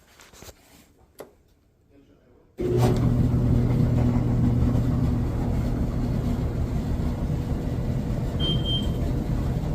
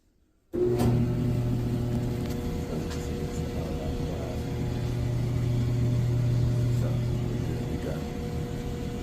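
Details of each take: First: Samsung dryer reported noisy: loud, steady low rumble with rhythmic thumping as the drum turns on worn rollers, one with its middle piece fallen out; roller kit replaced. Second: Samsung clothes dryer after replacing worn drum support rollers and idler that caused the noise: starts and settles into a smooth, steady low hum with no squeal, thump or scraping.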